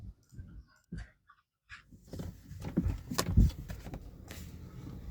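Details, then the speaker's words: Kia Sportage driver's door after spraying white lithium grease on the hinges and door check; soft low thumps and rustles as the door swings, and the squeak is gone. Quiet door hinge operation. "as you can see this quicking noise is gone"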